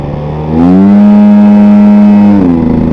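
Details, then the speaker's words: Scooter after front shock rebuild, stop-start test for CVT/clutch noise: pulls away cleanly with a smooth rising engine tone and no whoosh or turbo-blowoff-like chuff from the CVT; the earlier noise did not return. "Okay that was good didn't feel it didn't hear it"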